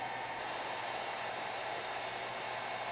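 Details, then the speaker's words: HP Pavilion Slimline s3600t (Core 2 Quad Q9300, 9800GT) with an upgraded replacement PSU, running 3DMark06, Prime95 and a virus scan, CPU around 62–70°C; steady loud airy rush with a faint hum as the PSU fan spins up hard once heat builds. "specifically is the PSU fan that's spinning loud but now some Heat's built up things no longer quiet"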